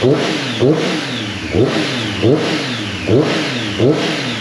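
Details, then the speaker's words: 2018 Triumph Street Triple 765 RS, 20,000 km, blipped repeatedly after repair, revving cleanly with no ticking or rattle; the earlier noise came from four loose valve cover tab bolts, now tightened. "É isso aí galera resolvido o problema aí galera"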